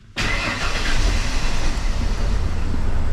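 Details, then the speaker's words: 1992 Ford F-150 after battery, starter and relay repairs: catches instantly and settles into deep, steady idle with no misses or knocks, oil pressure good, check engine light still on; runs better than expected. "As far as the vehicle goes, if I take the keys, she turns and starts. I mean, I did not expect it to run the way it did."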